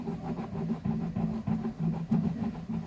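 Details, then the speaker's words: Samsung 15 kg washer-dryer spinning: loud rumbling drone pulsing about three times a second when centrifuging, from worn drum bearings; shaft intact, no cracks; seal leaking grease, before bearing kit replacement. "problema relatado aqui que nós encontramos é o problema no rolamento tá fazendo ruído muito alto quando vai centrifugar"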